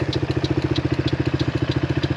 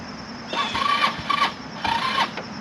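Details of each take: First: HammerHead 250cc go-kart idling: an even, steady putter of about a dozen beats a second with no misses, knocks or hunting; it runs well and not rough, though the owner still plans a clean. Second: HammerHead 250cc go-kart, battery only about 25–50% charged and a poorly fitting side terminal: two bursts of slow, labored cranking and it never catches; not turning over well.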